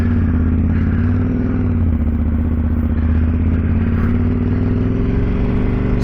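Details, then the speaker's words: 2010 KTM 990 SMT, 75-degree V-twin, riding away; deep throbbing pulses with a loose metallic clatter; exhaust rattling, source not pinned down. "I can already hear that exhaust back there rattling crazy the way that exhaust rattles but H you learn to live with it I guess"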